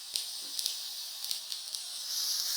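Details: Yamaha Motif ES6 keyboard after bootup: a steady loud hiss with sharp clicks in the output. Pressing system insertion silences it, which is a temporary fix; a firmware reinstall or chip-level repair is suggested.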